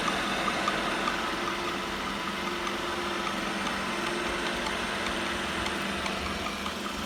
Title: New Roomba i7 plus making a clicking noise 😐😮😡